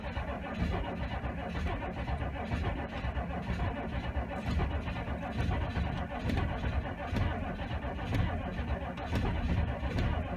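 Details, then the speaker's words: 6.5L turbo diesel dually, cold snowy evening with the block heater unplugged. Sluggish, labouring crank at about one beat per second despite two new batteries. Owner suspects the very old starter; the big-three wiring upgrade is not done yet. "she's not cranking fast there's two brand new batteries in here auto craft Gold's so who's that they weren't cranking or too fast though it could be because it's really old starter"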